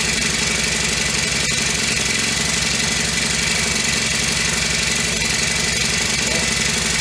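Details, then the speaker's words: Honda FG100 four-stroke mini tiller after repair, choke off and idle turned up three turns: steady, even idle with regular firing and no hunting or clatter, much quieter than the day before when it had no valve; running healthy. "starting to like this a little better much quieter than it was yesterday when it had no valve"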